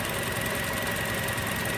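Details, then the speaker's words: 2007 Toyota 2.7 engine after reinstall and second timing teardown, aftermarket parts blamed, timing marks realigned: even settled idle, smooth quiet hum, no kicking, whining or knocking; normal idle. "well there it is back together and running nice and quiet damn aftermarket parts no kicking no whining"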